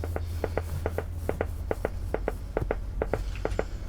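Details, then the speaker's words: Briton (Philips-made) valve radio under restoration on dim bulb: slow even putt-putt pops over low hum, unaffected by tuning; slow motorboating, cause unknown. "And we've still got this strange noise going on. And I don't know what that would be about. What on earth is that? It's like slow motorboating."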